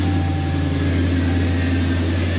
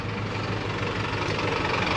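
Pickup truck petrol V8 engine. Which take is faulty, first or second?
first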